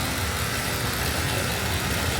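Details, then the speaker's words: Old GMC square-body truck at idle after a leaking connection was tightened and reassembled: a steady, even low rumble with no knocks or misses, much quieter than before. "As you can hear, whole lot quieter. Just burning along. Nice. Much better. Much much better."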